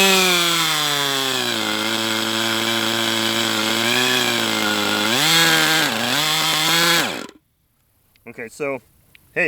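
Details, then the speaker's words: Brat 28 model glow engine with a propeller, needle set at random, running warm: it holds high revs up to 12,000 rpm, sags and surges twice, then dies abruptly; why it cuts out is unknown, and the glow plug sealing-ring leak is now gone. "it hit 12,000 RPM. That's a plus. Um why it still wants to shut down like that, I don't know."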